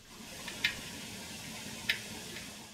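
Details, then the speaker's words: Ford modular engine VCT solenoid test with fused power applied directly and a temporary ground: two crisp single clicks about 1.25 s apart over faint hiss. Normal VCT solenoid actuation. "a simple test to check VCT solenoid function is to provide fused power directly to the VCT solenoid then provide a temporary ground listen for an audible click from the solenoid as ground is applied"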